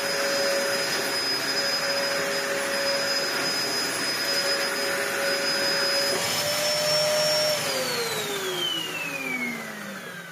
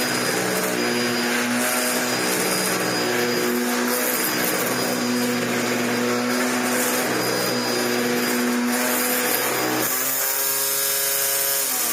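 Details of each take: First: Dyson DC01 vacuum, built 5 June 1998, about 25 years old, after repair with new parts and original base plate inner refitted; steady even high whine, no rubbing, pitch falls smoothly at switch-off; working fine. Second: Dyson DC01 upright vacuum during repair: loud steady buzzing whirr over the motor drone, pitch shifting when the head is tilted down; noise from the brush roll, planned fix is swapping the barrel onto new bearings and end caps.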